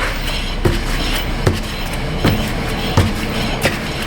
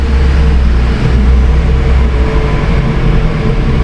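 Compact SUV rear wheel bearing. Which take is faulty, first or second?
second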